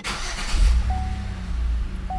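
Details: Car that had sat long with a suspected electrical issue, after charging the battery: a short crank, then the engine catches quickly and settles into a smooth low idle without stumbling; a clean, healthy start.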